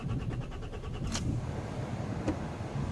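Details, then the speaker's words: 2003 Nissan X-Trail diesel with no glow plug light: the starter churns rhythmically for about a second and stops, and the engine cranks but never starts. "but today I said mine the car I want to drive it but a it cranks but now now start"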